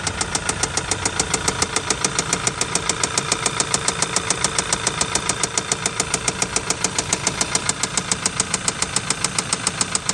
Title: Audi VW 2.0t ROD KNOCK engine bearing failure noise shiny spots on piston hitting cylinder head